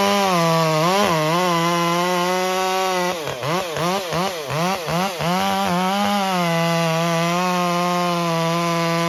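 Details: Stihl MS201T chainsaw with a brand-new standard carburetor, cutting: steady high buzz surging and dipping unevenly, inconsistent tune especially at idle and coming off full throttle; a cracked impulse line leaks air and upsets the carb.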